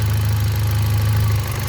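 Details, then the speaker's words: 2018 Hyundai Accent gasoline engine restarted after a cranking no-start was fixed by swapping relays, starts in one click, ignition coil bolt not yet refitted: steady, even low idle hum, no stumbles, misses or shaking; runs smoothly. "Okay, start. Goods. One click na, one click na. Walang kalya. Ayan oh. Wala namang panginginig. Okay naman ang kwan niya oh."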